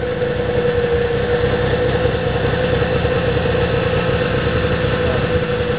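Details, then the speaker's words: 1996 Polaris XLT 600 two-stroke snowmobile, cold start with no choke after a rebuild and tune, having sat two weeks: a steady, even burble with a clean constant pitch and no stumbles or knocks. Normal, well-tuned idle. "that's how a well-tuned sled should start"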